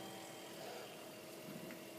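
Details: Waeco CF60 fridge after Ver A to Ver B electronics conversion, on 12 V battery at 11.7 V, set to low: quiet, even whirr with faint steady hum, no rattles or cutouts; fan and compressor running normally.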